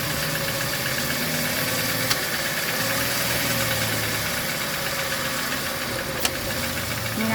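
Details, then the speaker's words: Chevrolet Sonic idling around 900 rpm after AC compressor leak repair, system flush, expansion valve and drier replacement: steady idle with a sharp click about every four seconds as compressor clutch cuts in and out at low idle. "หาคอมแอร์ก็จะตัดต่อตัดต่อแบบนี้นะคะต้องให้ช่างเครื่องนะคะตรวจเช็คดูนะคะ"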